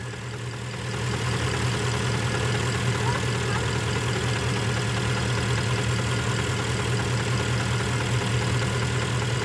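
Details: Porsche Panamera 4.8 hot idle after about two hours of driving: low drone with soft uneven tapping about four times a second; knock only when fully warm, gone cold and when idle raised slightly toward 1000 rpm; owner suspects scoring.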